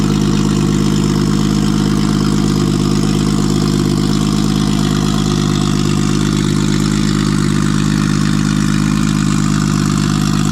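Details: Nissan RB20 inline-six after fixing no compression in cylinder 5 caused by a faulty lifter holding the intake valve low; loud, steady, even beat through blips, no misses or knocks; now running on all six cylinders.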